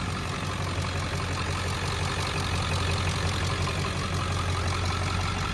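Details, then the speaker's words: Ford 7.3L Powerstroke diesel, warm after about half an hour of running and 10 miles, after replacing a failed new ICP sensor; steady even clatter with no shaking and a slight exhaust surge, injectors slightly lazy; normal warm idle. "And you can hear a warm idle, and then I will play the footage of the cold idle."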